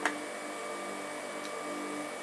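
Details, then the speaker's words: Rimoldi 065-34-22 lace sewing machine, rescued from scrap and cleaned, running with lace fitted: soft steady hum with faint even whir and one light tick at start, no knocking; motor beautifully quiet. "The motor's beautifully quiet. How quiet is that?"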